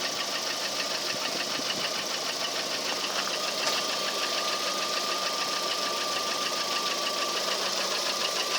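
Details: Lada Priora engine at idle with a steady, even knock about three per second over the engine noise; cause unknown, present for a year and unchanged, only oil changed in the engine.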